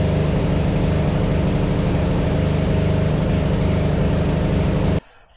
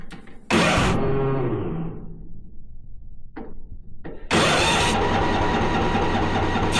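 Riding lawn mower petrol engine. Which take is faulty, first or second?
second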